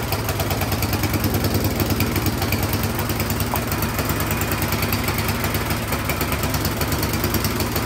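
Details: Troy-Bilt Storm 10030 snowblower that would not start after gas sat in it all summer (bad gas, clogged carburetor suspected); spark confirmed, started with starting fluid sprayed into cylinder, now running great: steady, even single-cylinder thump at fast idle, no misses; normal running.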